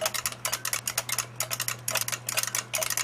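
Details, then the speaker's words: Old, worn joystick with many fire buttons and a built-in clock, battery powered; one fire button a little sticky, all not very responsive, need quite a bit of force; sharp, light, rattly plastic clicks in uneven bursts of two and three, cheap and flimsy-sounding. "All the fire buttons are not very responsive, but it uses quite a bit of force, and if you can hear it,"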